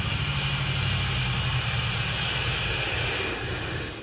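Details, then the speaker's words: Camaro just started on the key with mufflers and pipes fitted: fast, steady engine hum with some hiss. The idle sounds too high; the owner plans to get it tuned, and the cause is not confirmed. "but i i really think it's idling way too high but i think a tune take it to somebody and get a good tune and go from there"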